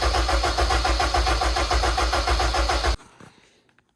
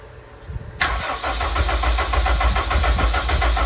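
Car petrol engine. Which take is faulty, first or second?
second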